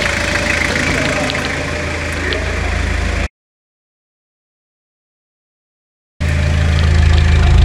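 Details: Restored Toyota Hilux (1992–2001 generation) "Garbosa" diesel, first listen after the full engine restoration: a strong, regular low idle rhythm with one brief dropout, steady with no miss or odd knock. Normal idle.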